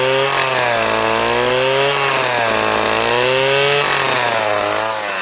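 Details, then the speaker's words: RedMax two-stroke weed eater that sat for years, on mixed gas with Lucas 2-stroke oil running rich; surging with a rough knock when throttle is released, won't idle; owner suspects very low compression; it blew up shortly after. "Hear that knock when I let off? That don't sound too good."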